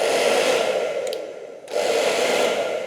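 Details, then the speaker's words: Hair dryer after repair (before: odd noise, no speed settings, only heating; dirt and carbon dust inside): even airy rush with a smooth motor hum and no rattle. First and second stages work in all combinations, normal running. "Thế là xong, giai đoạn đầu tiên đã sẵn sàng, giai đoạn thứ hai hoạt động, nó hoạt động theo mọi cách kết hợp, không có vấn đề gì, thiết bị của chúng tôi đã hoàn thành, nó đã sẵn sàng."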